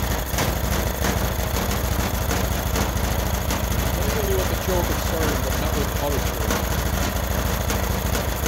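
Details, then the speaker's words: Freshly rebuilt Honda GX390 13 hp single-cylinder, started by choking manually: steady chug with consistent beat, no misfires or rattles; runs well, but the vacuum auto choke module is suspected of not choking and is to be replaced. "okay so I think that the auto choke is not uh choking properly because I can manually choke it it's starting the rebuild was successful it runs really well"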